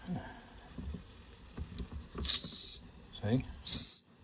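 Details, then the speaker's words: Wilesco D6 small steam engine on old, partly used solid fuel tablets: two sharp, high, clear whistle blasts about a second apart; steam up, boiler at working pressure, whistle blowing normally. "you got the pressure there. Steam's up. Just needs a little bit more steam."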